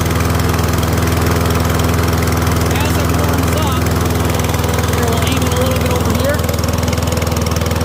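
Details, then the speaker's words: Troy-Bilt rear-wheel-drive mower with a Briggs & Stratton engine after an ultrasonic carb clean, started on the first pull on choke with possibly too much oil: steady, fast single-cylinder putter with a rich, cold tone while warming up; running fine. "What I want to do is just get a clip to hold it down and then let it warm up and we'll it should change the pitch. So, it does fire up and runs, that's good."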